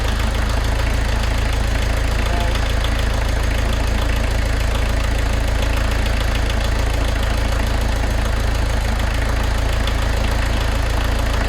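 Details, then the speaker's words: VW camper diesel van idling with steady, even clatter, no misses or hunting, after the leaking injectors were worked on with a 17 spanner; settled into a nice comfortable idle. "She's settling down to a nice comfortable idle there now."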